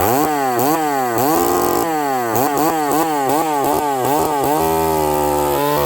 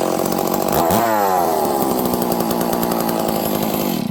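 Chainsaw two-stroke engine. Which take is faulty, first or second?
first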